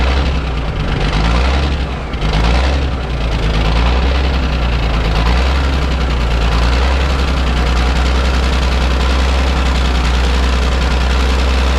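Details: Ford cabover 14 L Big Cam Cummins diesel revived after 10+ years sitting, possibly still working air out of fuel system, good fuel return; deep even idle, brief early stumble then smooth with no misses.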